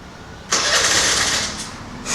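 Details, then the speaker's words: TVS Scooty Pep+ (BS3, carbureted) with key on, restarted: engine catches, runs about a second, sags and dies, repeatedly, and won't idle on its own; stalls right after starting, air filter or carburetor suspected, not confirmed. "మళ్ళీ ఒకసారి మళ్ళీ start చేద్దాం same పరిస్థితి sound చూడండి ఆగు on అవుతుంది ఆగిపోతుంది on అవుతుంది ఆగిపోతుంది సో ఆన్ అవుతుంది ఆగిపోతుంది"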